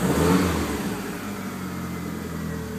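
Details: DSM engine, also lean at idle and cruise: revs up, then the pull sags and fades unevenly instead of climbing cleanly, a stumbling bog suggesting a misfire under load.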